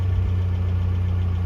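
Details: 1982 Toyota SR5 4x4 pickup that started then cut off; owner suspects the emissions control computer box: short stretch of low, smooth idle hum, steady with no stumble or dropout.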